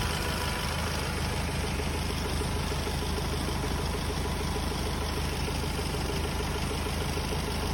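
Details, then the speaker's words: Hyundai Starex D4CB diesel, very hot, at idle after fuel injector washers were replaced for smoke: steady, even clatter with no knocks or misses, only slight smoke and a little oil spatter, normal for a hot engine. "So ito nga mga boss nakita natin ah konting-kunti lang ang usok na lumalabas at may konting talsik na langis. Normal lang ito mga boss kapag mainit na ang makina."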